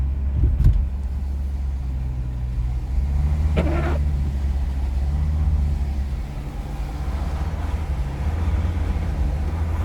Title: Strange noise from the engine on Jeep grand cherokee 2.7 crd